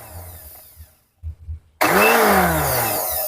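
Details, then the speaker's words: Philips blender before repair: motor spins up with a rising whine after a pause, running only on button 5 while buttons 1–4 do nothing. "Ini setelah kita tekan ini tidak berputar, kemudian tombol 2-nya tidak berputar juga, tombol 3 juga tidak berputar, tombol 4 begitupun tombol 4 ya tidak berputar juga, yang berputar hanya tombol 5 ya di sini."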